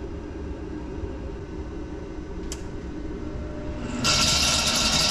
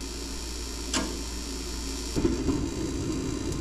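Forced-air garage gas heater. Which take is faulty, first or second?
first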